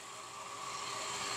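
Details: Centrifugal water pump running with valve fully open, drawing about 8 A versus 8 A nameplate: rough, hissing rush with faint steady hum as the pump cavitates, causing motor overheating.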